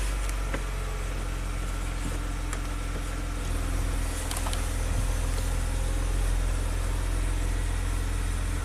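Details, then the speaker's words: 2016 Maserati Ghibli twin turbo, first start after new timing chains: even, deep engine note swelling gently with light revs and falling back smoothly, no rattle or knock; running super smooth, both airflow readings 11. "look at that 11 and 11. it's running super smooth that's good"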